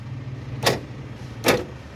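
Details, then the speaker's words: Car central locking after rewiring, with the faulty orange alarm wires condemned and the yellow wire connected to ground; on trigger, two sharp clean clunks about a second apart over a low idle hum, door lock actuators now working properly. "Yung yellow yun ang kinonct ko sa ground. So ayan ito trigger natin. Ayan gumagana na."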